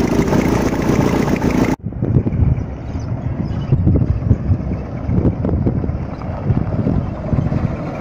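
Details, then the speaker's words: Petrol engine just started after repair, idling with low rumble and faint irregular puffing; a small exhaust leak at the exhaust, part that was due to be replaced or resurfaced. "Tenemos una fuga de escape por acá. Vamos a observar que hay alguna fuga de escape, ya que esto se tenía que mandar a cambiar o a rectificar, pero igual. Se escucha como que una fugita, ¿verdad?"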